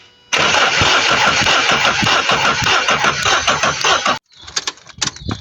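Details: 2017 vehicle with crank-no-start: starter churns steadily, slightly slow, about four seconds without catching; no fuel.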